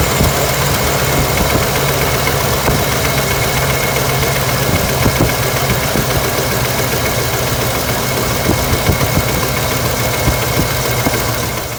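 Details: LS V8 with the valve cover off and coils tied aside idles lumpy and uneven with loud valvetrain clatter: cylinder 5 misfire from low compression, ignition and fuel ruled out, caused by a holed piston.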